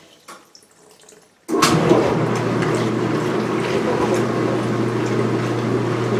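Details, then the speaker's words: Speed Queen washer, front panels off, on wattmeter, load of white bed sheets: cold water fill, motor silent, reading 9.9 watts; quiet then steady rush of water with low valve hum, normal fill. "Now during the fill, the motor's not doing anything, just sitting there. Yep. And now we're filling, and it's cold, and we're reading 9.9 watts."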